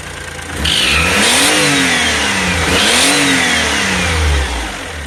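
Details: 2005 (H17) Daihatsu Atrai Wagon Custom Turbo R S320G, 170,000+ km: raspy hiss and chuff rising and falling with revs, sharper under load; noise fades once warm, returns after restart. Exhaust leak from broken exhaust manifold bolt.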